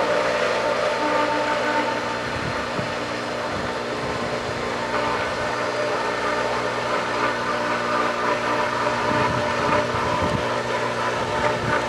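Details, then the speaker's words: Pool pump at season opening, just switched on after reassembly: even motor hum with steady tones and no water surge yet; running without prime, some water pulled earlier. "Wet it again. I'm not sure if I see water. It was pulling some before."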